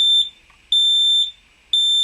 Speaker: So you can see that still the same pattern. 3 beeps, fire, fire.